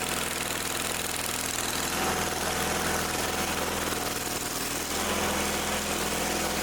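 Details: Old Simplicity tractor's single-cylinder engine after carb/fuel work, choke set: catches and keeps running on its own with a steady even putter, no stumbling; a leaking fitting with Teflon tape debris suspected afterward.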